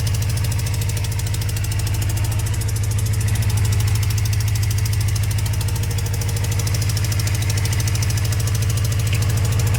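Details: Cold start of a motorcycle after sitting four months: quick, even ticking over the exhaust thump at idle, caused by an exhaust leak.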